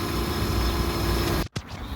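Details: 2006 Hyundai Tucson after alternator replacement, jump-started from a dead battery: an even, steady idle hum that holds, with a short dip near the end; the engine keeps running on its own.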